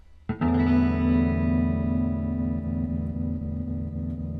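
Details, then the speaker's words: 1964 Fender Concert amp during repair: guitar chord with faint shallow pulse about four a second, barely audible even at top speed, with clicking — weak tremolo; oscillator caps suspected. "it's really weak you can barely hear it at top speed"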